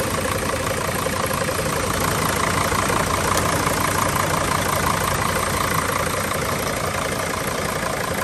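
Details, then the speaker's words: Mercedes T1N Sprinter diesel idling with A/C on and the doors open. Steady fan roar as the auxiliary condenser fan cuts in at about 20 bar refrigerant pressure and cuts out near 16 bar; normal fan cycling. "refrigerant gets up a 20 bar and then the fan kicks on refrigerant cools down about 16 Bar and the fan picks off"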